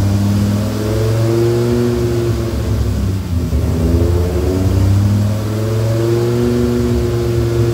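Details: Rebuilt Dodge Viper V10 first startup after engine rebuild, oil pre-primed to 40 psi cranking: deep smooth note rising and falling cleanly through several blips, no knocks, ticks or misfires; about 60 psi oil pressure, no leaks, sounds healthy.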